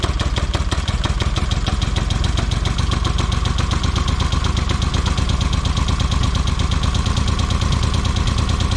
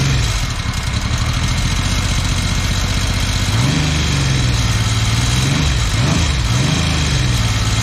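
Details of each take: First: 1979 Yamaha XS750S rebuilt engine after refitting the seized ignition advance mechanism: steady, even firing at constant speed with no misses, knocks or rattles; starts great, normal running. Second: 1979 Yamaha XS750S, freshly rebuilt engine with new timing chain, first start: uneven running, not firing on all cylinders, revs rising and falling with a light rattle; timing chain noise from cam chain tensioner not preloaded correctly.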